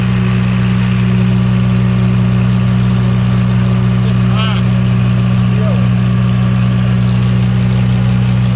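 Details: 35 kW liquid-cooled standby generator, warmed up with exhaust red hot, carrying the 5-ton and 3.5-ton air conditioners, load probably about 12 kW. Loud, deep, perfectly steady drone with no surging, misses or knocking. Normal running under load.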